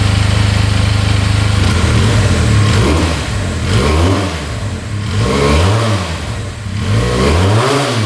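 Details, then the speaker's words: 2022 Benelli 302S motorcycle, fired up instantly, idling at 1700 rpm; repeated rev blips rise and fall cleanly, no top-end knocking, bottom end sounds good, revs out healthy. "Idling at 1700 RPM. No knocking in the top end. Bottom end sounds good. Alright, will it rev out though?"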